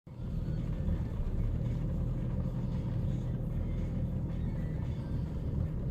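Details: 2012 Chevy Cruze LS idling: deep, lumpy idle rumble with uneven, shaky beat and no clear misfire pattern; rough idle that mechanics have not diagnosed.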